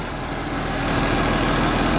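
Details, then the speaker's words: 3588 tractor with a freshly rebuilt diesel and new hood, which does not rattle: even, quiet idle with a steady low rumble and no rattles or misses, building slightly as it settles. Healthy normal idle. "man she's just she's so quiet the new hood's not rattling fits good and tight man look at that i'm shaking honest it ain't rattling"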